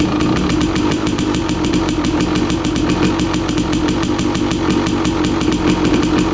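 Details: 2016 KTM 300 XCW two-stroke, cold, choke off, after installing new starter on charged Tusk lithium battery: quick, even cranking catches straight into crisp, rapid two-stroke crackle holding steady idle; healthy cold start.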